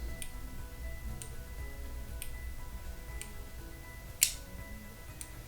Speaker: vous avez entendu un petit clip ça veut que la pur est en train de se faire au niveau de la tubulure qui est à l'intérieur